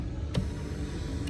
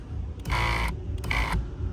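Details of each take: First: 2014 Kia Cadenza passenger-side power seat, recorded for comparison with the grinding driver side: low, even motor hum moving forward, no grinding or scraping; its black tube is not touching the rail. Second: 2014 Kia Cadenza driver-side power seat, louder than normal: short bursts of harsh grinding each time the motor runs, stopping cleanly between runs, from a protective boot/black tube rubbing on the seat rail.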